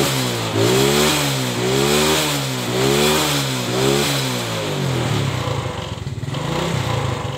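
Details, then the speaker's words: Suzuki Smash motorcycle, complaint of not running without a battery; with the battery fitted tightly, smooth clean revs rising and falling with crisp pickup and even return to idle, no misfire; runs normal because the battery is good. "Oke teman-teman ini bisa dilihat ya motornya normal-normal saja karena akinya itu normal"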